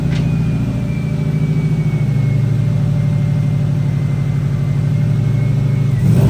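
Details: Newly installed GT3076R Pulsar turbo (T51R mod) with rotated setup and custom intercooler pipes, still in break-in, driving: deep rumble under load with faint whistle slowly shifting pitch; normal turbo spool.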